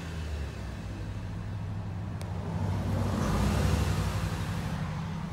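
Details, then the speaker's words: 2013 Jeep Patriot JF011E CVT on a road test after a fluid change with both filters replaced: steady, even engine and road drone with no whine; the transmission was whining before the service and now sounds healthy. "Okay, here it is running. No whine. No noise whatsoever but the motor. She's golden."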